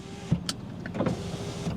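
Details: BMW 5 Series: quiet, steady window motor hum with a soft thunk at end of travel, a working window; offside rear window does not work.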